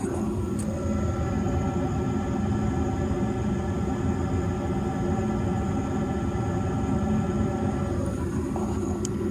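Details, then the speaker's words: Trane S9V2 furnace after circuit board replacement and seized inducer motor freed: even low rumble with steady hum, no scraping or squeal; furnace running smoothly and normally. "Good to go. Either way, they have heat, and crisis aborted."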